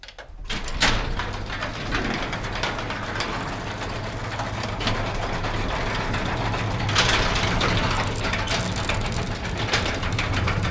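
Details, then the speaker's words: Garage door opening with a belt-drive opener: loud, continuous clattering rattle from loose, worn metal rollers and bearings, before replacing them with nylon sealed-bearing rollers. "a lot of it has to do with these metal wheels and bearings and everything is just kind of loud and loose"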